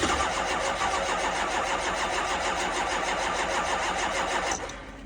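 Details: 2005 6.0 diesel at 15°F in New York, first start of day: steady starter churn about three compressions a second, never catches, winds down; cold no-start despite two batteries and a jump pack, almost went.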